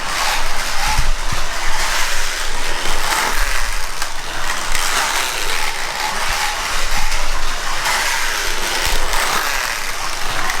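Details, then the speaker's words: 15-year-old Ninco BMW E46 slot car running on track: harsh raspy gear whine over the motor rising and falling with speed; very noisy, a problem common to early Ninco anglewinders. "the first observation is the noise i know you're picking this up this is a noisy car a real noisy car"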